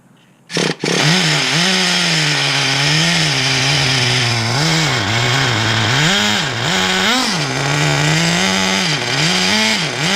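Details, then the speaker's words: 2006 Traxxas Nitro 4-Tec (Model 4809) with rebuilt TRX 3.3 engine, first tank, started with slight throttle: high buzzy engine hunting, revs sagging and surging unevenly, keeps dying; owner suspects mistuning or too much fuel, unconfirmed. "but I also don't want to hurt this thing by trying to start it, and I know it keeps dying, so it's turning off for a reason."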